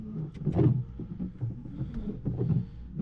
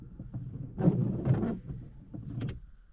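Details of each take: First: Car windshield wiper after the blade was reversed, running on dry glass: a low motor whir with a soft rub on each sweep and no chatter. The earlier juddering is gone. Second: Small right-hand windshield wiper blade on wet glass in rain, making a rough, stuttering rubbing sound and jumping instead of a smooth swish; the larger blade is normal. Wiper blade chatter.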